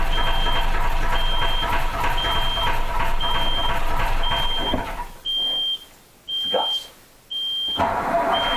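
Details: Autosan H9 bus diesel after a long forced standstill: steady high warning beep about every second over cranking that fades out, no start; fuel starvation from drained lines, and it would not start even with the hand fuel pump.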